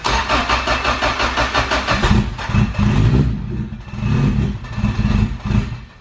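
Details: Sleeved Acura GSR B18 after filter changes, on a jump box, no throttle: starter chugs steadily for two seconds, a few weak catches and surges fade out; cranks but won't start, advised to add some gas and crank longer.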